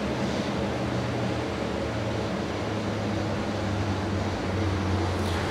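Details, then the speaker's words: DISA 15 HP, 5000 CFM dust collector return fan running unducted, louder than when hooked to a bag house: steady airy roar and even hum, no bearing issues, runs as it should. "as you can hear there's no bearing issues uh everything runs as it should"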